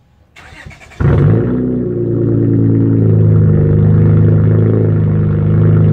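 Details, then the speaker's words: Honda Accord with its J30 V6 swapped for a 75,000-mile replacement motor after the original reached 238k miles: a quick start, a brief flare, then a smooth, steady low hum with no knocks or misses; runs much smoother. "she's driving much smoother now she came with a seventy five thousand mile motor and she's running smooth"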